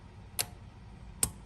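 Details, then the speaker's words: 2013 Ram 2500 with wipers that won't stop, test of the wiper relay with a test bulb: two crisp clicks under a second apart over a quiet hum; the relay switches and releases normally, turning off as the bulb shows. "And it does. It turns off. I hear it turn off, and you can tell by the bulb."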